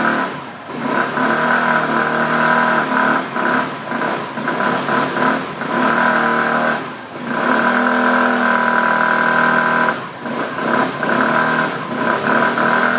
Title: Access 125 humming sound...